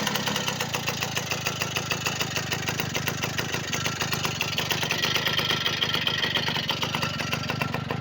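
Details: V50 two-stroke after a full overhaul with a Dio piston: a crisp, even putter of about three or four beats a second at a steady idle. Engine runs smoothly.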